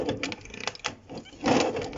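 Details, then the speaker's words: Honda SH50 two-stroke scooter engine, sticking when turned slowly by hand, with uneven gritty rasping. Badly worn crank bearings are suspected, possibly damaging the barrel; the owner plans to swap in another engine. "does not sound healthy that sounds like the bearings are very badly worn and obviously if the burns are badly worn it's doing more damage to the inside of the barrel as well"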